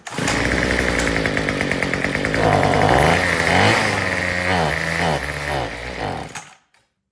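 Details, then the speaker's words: Troy-Bilt TB225 two-stroke tiller, sat all winter, with idle turned up: revs climb and sag unevenly under throttle, hunting before cutting out; fuel starvation from old carburetor diaphragm, gaskets and rotten fuel line. "So what I'm gonna try first is actually just turning up the idle some more. See if that will get it to run."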